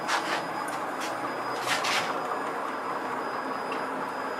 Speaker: Right, all axes are moving. So we've got the Z axis is going up, the Y axis is going across,